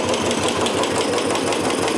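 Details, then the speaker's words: Royal Enfield Bullet just started after hydraulic tappet replacement and fresh oil, head top cover off, oil circulation reaching the top. Steady single-cylinder idle thump with some open-valvetrain clatter, no heavy knock; sound should be smoother once the cover is fitted. Normal idle. "Okay మనకి head top వేస్తే sound అనేది ఇంకా smooth అవుద్ది."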